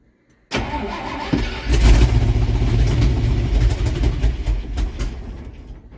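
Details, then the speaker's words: 1968 Dodge W200 Power Wagon, 383 big-block V8, fed from a gas bottle: brief crank, then catches and runs roughly with deep uneven rumble that fades; no oil pressure reading at first start. "I got nothing on the oil pressure gauge no all right well hey it fired"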